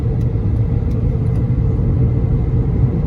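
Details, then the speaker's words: 2011 Honda Accord driving: deep steady droning "boo boo" hum under road noise that increases on left turns and goes away turning right or switching lanes; bad wheel bearing. "Alright guys, I have a 2011 Accord and I think it has the classic wheel bearing noise, which I'm going to show you."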